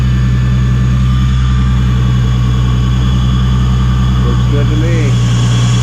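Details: Supercharged Nissan 350Z after retightening leaking high-pressure fuel pump line at both ends: deep even idle hum, steady beat, no stumbles; sounds much better.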